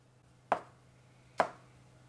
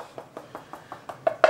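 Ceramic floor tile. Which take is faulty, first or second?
second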